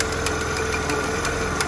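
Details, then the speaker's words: Piaggio Zip scooter awaiting service, idling with a heavy rough rumble and irregular light knocks from inside the CVT case; noisy CVT at idle. "suara berat akan didalam blog type c-nya ini"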